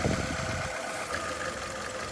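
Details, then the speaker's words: 2012 Nissan Altima 2.5 L with rough, stumbling idle and one cylinder dropping out after swapping ignition coils between cylinders one and two; still misfiring, later confirmed not the ignition coil. "so now that we've got those cool switched around we're fired back up you can see obviously look at the mountain it's still misfiring"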